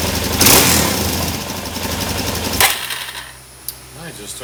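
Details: 2017 Suzuki DR-Z400 after draining carb float bowl and setting fuel screw three turns out: revs with a blat, then suddenly falls off and nearly dies when throttle is opened; cause suspected, not confirmed.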